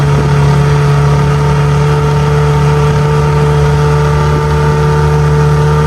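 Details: 6 hp two-stroke outboard on a 2002 1236 jon boat, on plane at about 13: smooth, even drone holding one steady pitch, no misses or rattles; running healthy.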